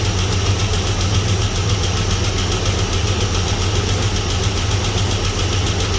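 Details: Chevrolet S-10 donor truck after bad spider injector, fuel possibly in oil, weak oil pressure: steady low idle with uneven lumpy pulse and faint tick; rough idle, possibly a lifter not pumped up.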